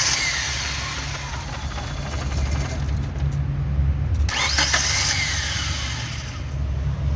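The starter churns on and on with an uneven rhythm but the engine never catches; a long crank with no start, cause unconfirmed.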